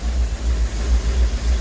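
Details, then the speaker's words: Rolls-Royce Silver Shadow 2 V8, sat neglected over 10 years, after twin SU carburettor rebuild and new fuel pump while chasing high idle: deep even throb, now idling cleanly with no misses. "Hey, that's idling good now."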